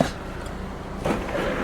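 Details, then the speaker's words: Civic with 146,000 original miles: low steady electric sunroof motor hum with soft travel noises and a light clunk near the end as it opens fully; normal sunroof motor operation. "Looks like the sunroof does work. Let's go open that completely. Sunroof does work."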